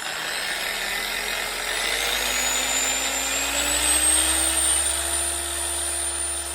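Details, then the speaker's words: Chemical Guys Torq 15 DA polisher after spindle bearing replacement and gear regrease, previously smoking and getting louder; even high-pitched whir spinning up smoothly with faint chatter, quieter than before. "Quiet, it's smooth. I mean, you got your little vibration, a little chatter."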